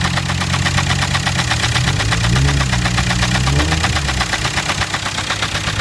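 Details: 2006 Jetta TDI diesel running for the first time: steady idle with a regular knock about three per second standing out above the clatter; the source of the knocking at idle is not yet pinned down.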